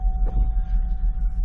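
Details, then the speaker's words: Auction-bought car, oil clean with no milkiness but some coolant seen below, just started: low, uneven throbbing rough idle with a wavering beat and faint hum, with engine light and tire pressure light on; cause not yet found. "We got an engine light, tire pressure light, and a rough idle."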